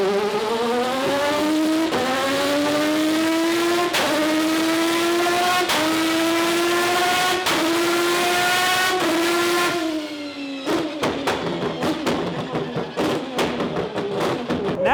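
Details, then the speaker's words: McLaren P1 GTR drift build making 944 hp on 19 psi boost, after faults were chased and the fuel changed: screams cleanly up through the revs in smooth, even pulls with crisp shifts and no flutter or stumble. Healthy. "we're screaming! What a day of chasing shit. Spending lots of money, (beep) buying more parts and change the fuel, We're frickin back into it."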